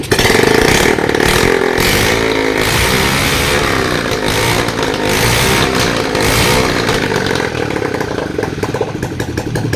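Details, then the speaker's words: Bajaj Boxer 150 motorcycle, revived after five years sitting, running without exhaust muffler, starts on one click: loud raw open-pipe bark rising cleanly with throttle and settling back, engine running healthy. "Pero ang ganda ng tunog niya mga idol. Ganyan lang yung andar niya dahil wala ang tambutso, pero kung marinig natin ay napakaganda."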